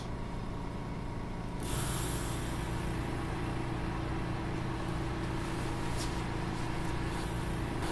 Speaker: I can describe these pumps to you without even raising my voice for a product which is often considered the noisiest in the laboratory they're pretty quiet